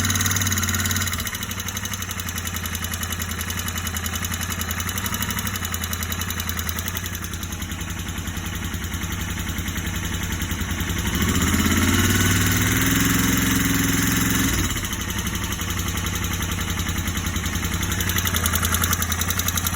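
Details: Royal Enfield Interceptor 650 warm twin idling with a steady, fairly regular knock; appeared after a tappet adjustment, absent after a 10-minute start, began once ridden down the block.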